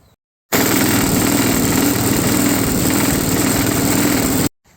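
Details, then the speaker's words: Old lawnmower engine after cleaning, reassembly and reconnecting the vacuum-operated governor: it started first time and runs with a steady, even drone at constant speed with no misses. It shakes slightly because a blade is missing. "So there you go, runs beautifully. That actually started first start then."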